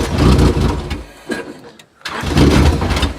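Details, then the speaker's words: Demolition-derby Honda Accord after the derby: engine catches, runs rough about a second, dies, then fires again, the same start-and-stall it did in the ring; a fuel pump relay has been suggested, unconfirmed. "See, it like starts right up and then dies. That's what it was doing inside the ring."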